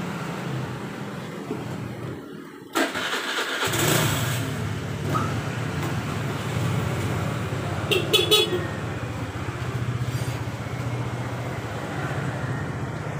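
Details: Suzuki Nex scooter that was hard to start and wouldn't idle when cold, after the idle air control (ISC) was set manually: catches quickly, then a steady, even putter with no misses or knocks, healthy start and idle.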